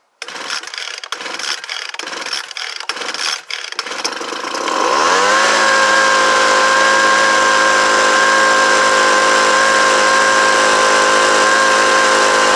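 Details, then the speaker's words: Homelite UT09520 after carburetor replacement, choke at middle after first start: a few pulls, then a steady even high buzz with no stumbling or surging; runs normally, owner thinks it could use a little tuning. "so now that's pretty good to me uh it seems like it could use a little tuning to wind it out just a little bit more"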